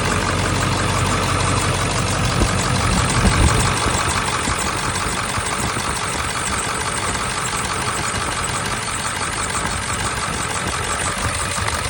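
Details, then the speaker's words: Eight-cylinder diesel with 263,000 miles, after replacing the shorting IDM and fixing broken 25-year-old injector harness pigtails. An even, rhythmic clatter at idle with no misses and no smoke. The dry belt squeaks. Normal idle. "Nothing coming out of there at all. No pressure of any kind. It's not smoking at all."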